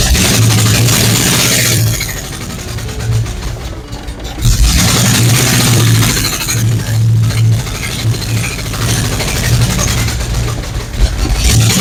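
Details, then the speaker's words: 1970 Chevy C10 with a 5.7 Vortec 350 from a 1998 van and a 700R4, during first startups: an uneven, lumpy, stumbling idle. A large vacuum hose was left open, a big vacuum leak. "Got a big vacuum hose open. That'll hinder things. Big vacuum leak. That doesn't help anything."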